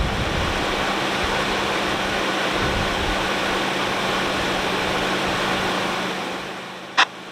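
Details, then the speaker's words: 1996 Lexus LS400 engine idling: a smooth, even hum with a low steady drone and no knocks or ticks; the engine runs great with no problems. "So like I said, the engine runs great. So there's no problems with it."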